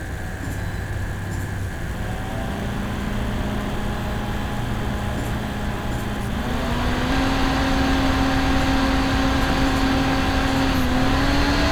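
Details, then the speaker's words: Dell G5 5000 / XPS 8940 prebuilt desktop, stock OEM fan: thin high-frequency whine over air rush that rises as the fan speeds up. The ball bearing is very noisy, especially at low rpm. Noisy fan bearing. "fan for some reason the ball bearing in it is just very noisy especially at low rpm"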